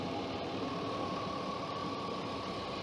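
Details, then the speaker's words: 2003 Chevy Suburban Vortec V8, 151,000 miles, at startup idle: even, steady idle with a faint constant belt-like whine, no knocks or misses; sounds like a normal healthy idle. "she sounds pretty good and we're gonna go take a look up at the hood and listen to her a lot closer"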